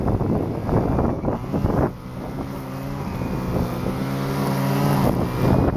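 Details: Stihl FS-250R two-stroke trimmer after carburetor rebuild kit (hardened diaphragm from long storage with old fuel), cutting wet grass: revs up, settles into steady high buzz, pulls cleanly without bogging; normal running under load.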